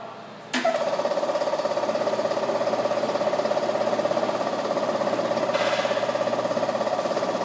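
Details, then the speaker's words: General Air Products LT Series lubricated tank-mounted reciprocating fire-protection compressor with intake filter correctly installed and wingnut snug: thump, then steady even pumping about 200 per minute with constant hum; normal running. "it is very important that with the wingnut that it is snug and in place we're now going to show you what a normal compressor sounded"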